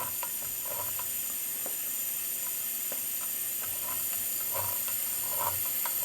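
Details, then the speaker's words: Nissan SR20DET from an S13, leak-down test on cylinder 2, engine not running: steady hiss of air escaping into the crankcase that builds pressure when the valve cover is blocked; ring or ring-land failure suspected. "The air pressure is going into the base. So if I block off the valve cover, you hear it starting to build pressure because I'm blocking it. Yeah, so that sounds like, you know, either Ringland or Ring, or I guess we're going to see shortly when we take it apart."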